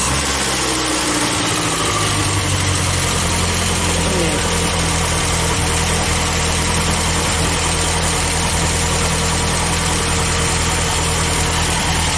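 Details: Carbureted International Scout 80, warmed up, oil bath air cleaner and choke not yet fitted: fast steady idle hum that never drops low; owner suspects carburetor setting, needs tuning, not confirmed.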